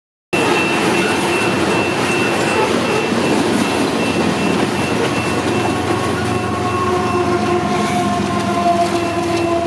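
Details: Westbound loaded coal freight cars roll past with a steady rumble and faint wheel squeal, sounding normal; normal passing freight train.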